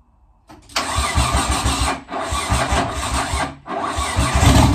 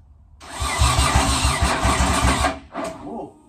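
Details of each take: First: JDM Nissan 180SX (S13) with swapped RB25DET, top-mount Garrett GTX3071R turbo, new injectors, first start after 3.5 years: starter whirs in two short bursts, then the six catches and settles into steady, even idle. Normal start and idle. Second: JDM Nissan 180sx with swapped RB25DET and big top-mount Garrett GTX3071R turbo, start attempt after 3.5 years and new injectors: starter churns about three to four turns per second for two seconds, never catches; cranking but not firing.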